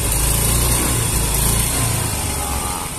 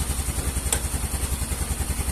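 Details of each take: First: Yamaha Mio M3 125 scooter: note surges and sags as the throttle opens, stumbling instead of pulling cleanly; hesitation on acceleration, suspected from fuel pressure, earlier suspected weak pump pressure. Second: Yamaha Mio M3 125 scooter with fuel pressure gauge fitted, reading rising from 60 to 70: steady putter at about eight even pulses a second, no misses or surging; clean idle.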